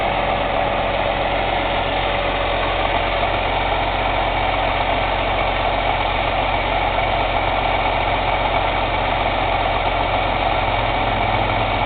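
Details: Cummins ISX CM2250 diesel idling during DPF regeneration: irregular loud airy chuffing from the intake, roughly fifty a minute, no mechanical noise or metallic knock; owner suspects turbo chuff during regen, unconfirmed.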